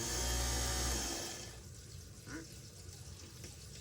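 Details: Moen GXP33C garbage disposer after clearing a jam that made it hum stuck: spins up with steady motor hum for about a second, then winds down with no grinding or stalling, running freely. Normal running.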